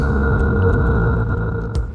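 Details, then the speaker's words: EagleNav 10-inch "800W" car subwoofer: muddy, flabby low boom with a steady buzzy tone on top, a clucking sound; distorted, messy bass output from a badly made driver. "I don't know if you can hear, it's just barely starting to clip. So that is as much excursion as this will allow before the amp starts clipping. That's useless. And if you don't believe me, here's their subwoofer. Cluck, cluck, cluck, cluck. It's just a mess."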